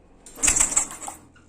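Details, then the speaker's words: Honda Karisma motorcycle with ignition wiring rebuilt from scratch, key switched on for a spark test. A few sharp, dry snapping crackles show the spark jumping cleanly, so the ignition is getting current. "dari suaranya saja sudah kelihatan kedengarannya"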